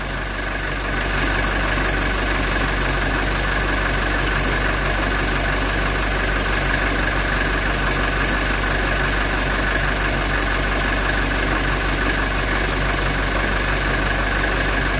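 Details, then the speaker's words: 1982 Mercedes 240D diesel idling during R12 AC recharge, AC on max, blower high: even idle clatter with a steady hum added as the AC compressor kicks on; normal idle with compressor engaged, air ice cold. "let's listen for the compressor to kick on there it goes compressor just kicked on"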